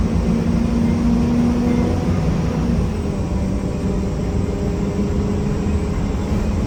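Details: 1993 Gillig Phantom 35' bus, Cummins ISM diesel, Allison B400R transmission, riding onboard: steady rough grinding over the diesel drone the whole way without letting up; owner suspects transmission, unconfirmed.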